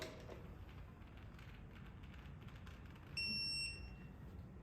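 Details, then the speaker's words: Electronic torque wrench: one high beep of about three-quarters of a second, its warning mode signalling that the set torque was exceeded. "entonces también vamos a escuchar ese ese pitido pero de una manera diferente"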